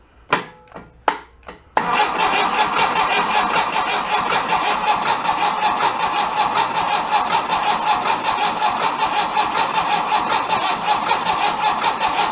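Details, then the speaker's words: Removed 1966 VW bus engine from a barn, cranked on a jumper pack possibly drained by winch use, with an oil pressure light test rigged. Two bumps, then sluggish cranking around eighty beats a minute that never fires; slow cranking. "it sounds like it's kind of spinning a little bit slow - might be still tired from running the winch on the trailer"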